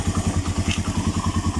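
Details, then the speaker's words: Suzuki Mola/GS 125-150 single after DIY tune-up, valve clearances set 0.04 intake, 0.08 exhaust with feeler gauge: even regular idle, quiet, earlier valve ticking gone — normal idle. "Ganda ng under, oh. Tahimik na, nawala na yung kanyang lagitik."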